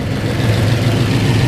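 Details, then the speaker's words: New 481 big-block back running after both bad carburetor floats were replaced with spares: deep, lumpy but even idle, steady low rumble, no stumbling or flooding misfire; normal idle before a quick road test. "we got her back idling so we're going to make a quick trip down the road"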